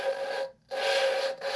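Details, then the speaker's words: Hand-lapping a valve in a cylinder head being rebuilt for a V10 swap into a 1981 Dodge Ram: gritty rasping strokes with short pauses between twists. Compound still grinding; seat is done once it goes silent. "now you can hear it grinding and what you're listening for is for it to get silent until you get it silent try to keep it from coming out"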